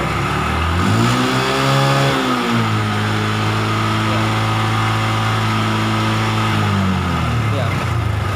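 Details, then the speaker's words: Honda Revo motorcycle that died when revved, after replacing a faulty kiprok (regulator rectifier) with a Beat/Vario part, charging now around 13–14 V: revs up smoothly, holds, drops back cleanly without misfire or stumble. "sekarang kita dengarkan RPM mesin tanpa sekalipun ada indikasi berbeda atau gimana untuk mesinnya"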